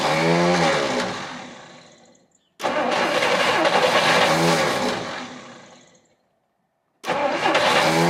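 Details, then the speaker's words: 1959 Studebaker Lark, 259 V8, sitting 36 years. After new spark plug wires replaced cracked ones, two long, uneven cranking bursts fade out without firing. Owner suspects the plugs, not confirmed. "all right well it's trying but uh it's all I got time for today so I guess they get more plugs"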